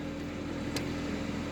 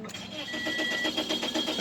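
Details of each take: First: 2006 Toyota Corolla 1.8L after crank-no-start solved with programmed spare key (security light off); short steady low hum with even beat, no knocks or misses; normal idle. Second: 2006 Toyota Corolla 1.8L, water pump replaced, original key inserted with security light still blinking; starter cranks at steady even rhythm but engine never fires; crank no start, immobilizer not recognizing key.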